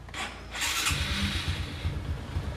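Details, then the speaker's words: Motorcycle starting on a homemade 12V LiFePO4 battery from used cells: short, brisk whirring crank, lighter than the earlier rough attempt, then an even idle; starter turns strongly, with 2P 6Ah recommended over the strained 1P. "Ini lebih enteng daripada tadi ya. Tadi kan suaranya agak kaca kerak gitu ya. Ini ngejring ya."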